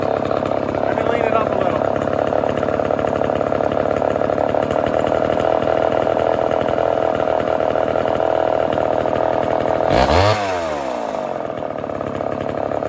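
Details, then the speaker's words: Vintage Homelite chainsaw being tuned by ear for an air leak: a high, hard, slightly wavering lean scream at steady throttle before dropping off. An air leak remains, probably the unchanged seal, though it is getting closer. "okay let's kill this we still got an air leak probably the seal that i haven't changed so we're getting closer we still got an air leak but it's definitely getting closer"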